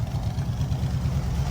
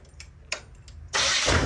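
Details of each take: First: School bus with Dodge front end, after fitting power steering: steady even low engine rumble, no pump whine; power steering pump stopped whining, only slight whine when turning; normal running. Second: School bus project with Dodge front end and newly fitted used power steering pump: engine catches and settles into idle under a steady high thin scream; suspected from the power steering pump, not confirmed.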